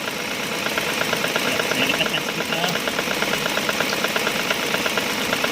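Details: Proton Saga FLX idling and revving: light rapid rattle about two a second as the intake manifold (IAFM) butterfly flap chatters at its lowest stop; raising the flap position slightly silenced it.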